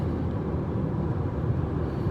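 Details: 2022 Geely Atlas Pro, two months old, at highway speed around 120–130 km/h: steady low droning hum without knocks or whine; owner suspects a seal or body issue, possibly a factory defect, not confirmed.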